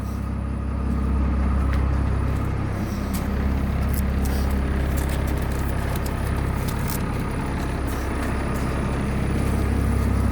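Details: Bus diesel engine, first start after sitting about two and a half to three weeks, throttle set around 700 rpm and left to warm up: steady low idle with an even rumble, no misses or knocks; normal idle.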